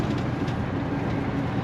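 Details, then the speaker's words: Cat-powered semi under load: deep steady diesel roar with audible turbo, smooth, no knocks or rattles; owner calls it strong and powerful. "hey you can hear this cat Roar she's she's strong you hear that Turbo Man she's powerful"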